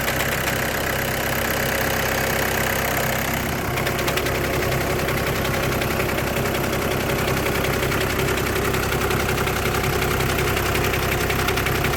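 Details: 2008–2014 VW with DSG gearbox at idle: a loose, irregular chatter of about one to two knocks per second sits under the engine hum. The diagnosis is DSG clutch plate vibration, with the plate bearing also tagged.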